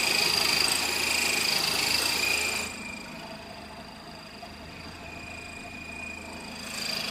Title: Honda Civic "chirping" noise